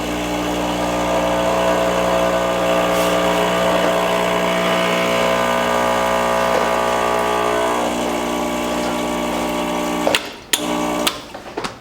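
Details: Rancilio Silvia M espresso machine after a full service, first run after plugging in: a steady, even buzzing hum for about eight seconds as the vibratory pump fills the boiler, then stops. Normal pump operation.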